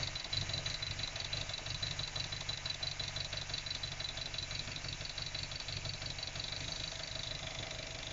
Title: MX5 Mk3 Rough Idle